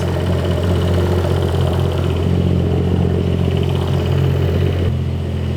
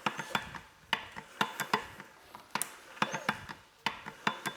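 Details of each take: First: 2011 BMW 535i xDrive F10 with freshly rebuilt and reinstalled N55 six-cylinder, first run: steady even idle with smooth low hum, settling slightly lower after a few seconds; no knocks, misses or oil leaks, healthy. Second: 2011 BMW 535i xDrive F10 N55 engine, freshly reinstalled, with replacement used cam phasers (80,000 miles), turned slowly by hand without oil pressure. Crisp irregular clicks in small clusters. Owner assumes the phasers just need oil pressure.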